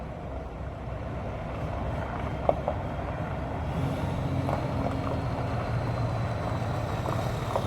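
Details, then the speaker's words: 6.7 Cummins hotshot truck after replacing the failed injector, free revs: no miss, diesel rumble builds and picks up strongly as the VGT turbo comes in; clean healthy pull, though it still needs a retune. "Sounds good. And then the VGT kicks in. There we go. Hear him take off."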